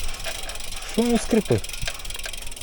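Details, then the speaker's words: Homemade carbon road bike with an AliExpress frame, new press-fit bottom bracket fitted to cure a creak, while riding: three short, sharp creaks come from the saddle, not the bottom bracket; saddle needs tightening. "а скрипить сідушка Я вже виявив зараз я її підтягну трошечки"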